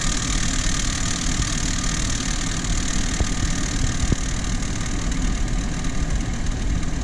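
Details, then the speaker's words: Renault Kaptur 1.6, 1 year old, 25,000 km, cold idle under the bonnet: loud steady whistle with gritty grind from the engine's right side, gone when warm; began after the timing cover was resealed for an oil leak; cause unclear. "есть посторонний звук на холодную из двигателя с правой стороны пока двигатель не прогреется звук громкий отчетливый"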